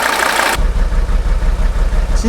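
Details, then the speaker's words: 1983 Mercedes 300TD W123 OM617 diesel running on Liqui Moly Diesel Purge in a closed loop through the injection pump: loud burst at start, then deep steady clatter settling to an even idle, slightly quieter; normal. "she'll be running on diesel Purge now in probably 5 minutes it's a little darker in color but it's not to different really uh it's a little quier but not"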